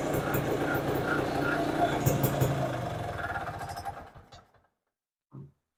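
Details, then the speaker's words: Circa 1966–69 Tradewinds Tiger snowmobile two-stroke. Pops along steady and even, then winds down smoothly and shuts off; runs good. "she runs good well we uh got her running"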